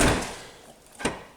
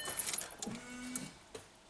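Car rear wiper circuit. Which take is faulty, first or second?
second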